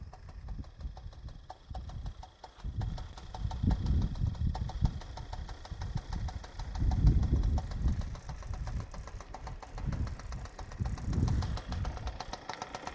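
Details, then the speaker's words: Suzuki Address 110 scooter after repair, idling steadily with soft uneven pulse and body vibration; metallic knock gone. Knock was caused by stripped crankshaft thread on the generator side letting the rotor (magnet) rattle; variator also rebuilt with Kitaka parts. "видите, стук полностью ушел. Его нет. Есть вибрации по кузову. Ну, таким образом работает двигатель. Уже никакого стука нет."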